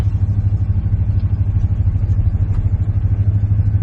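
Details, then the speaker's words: Steady, even low engine drone while driving with smooth regular pulse, no knocks or misses; running pretty good, has oil pressure and temperature. "She's running pretty good."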